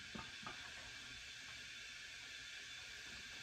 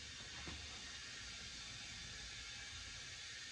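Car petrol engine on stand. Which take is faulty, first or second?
second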